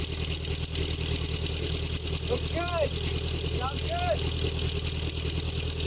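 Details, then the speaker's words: 1984 Nissan 720 pickup, Z24 four-cylinder with eight plugs and two coils, cold start after new spark plug wires replacing possum-chewed ones: steady even idle, no misses or knocks; normal. "This is a four-cylinder engine, but it has eight spark plugs, which is probably why it has the two coils. I did not start it up this morning, so we'll be starting up cold."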